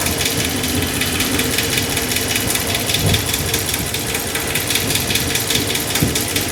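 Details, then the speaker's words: 2009 Dodge Ram 1500 4x4 with 5.7 Hemi V8, ticking since its rebuild: light, fast ticking at about two to three per second over the idle, loudest at idle, with the microphone on the brake line. Suspected left-side valvetrain. "So it seems that the noise is loudest at an idle."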